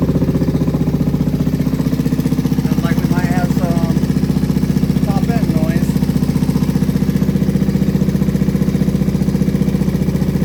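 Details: Kawasaki Vulcan 500 at its first start after carburetors were cleaned and rebuilt, choke pulled: a steady, fast, even tapping about three a second over the idle, suggesting top-end noise; cause not confirmed.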